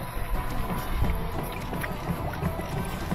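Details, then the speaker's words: Admiral washer after swapping in a used transmission to fix noisy, one-way agitation: low irregular water swishing and soft motor hum with no knocking or grinding; agitates quietly. "agitates and doesn't make noise we'll see what it does when it gets to the spin cycle whether it goes into neutral or not"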